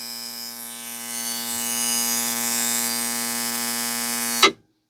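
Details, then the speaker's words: Simson/MZ ignition coil on a Bosch tester at 11 mm spark gap: even rasping buzz without dropouts, strong steady spark; misfires begin from 12 mm. "11 läuft sie deutlich stabil. Extrem schöner, starker Zündfunke."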